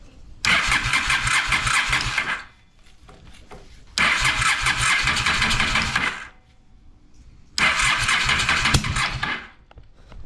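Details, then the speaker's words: Honda Shadow motorcycle (possibly 650) that sat almost a decade, cold start attempts on choke with fuel fed by syringe after float valve adjustment: three long tired cranking bursts without catching; slow cranking, battery running down. "let's try to choke it losing battery power uh there goes the battery time to charge it"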